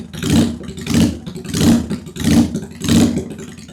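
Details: 2001 Honda Shadow VT750 V-twin after carb rework, airbox off: catches and revs in even pulses, both cylinders firing cleanly; front cylinder thought to run a little richer; normal running on both cylinders.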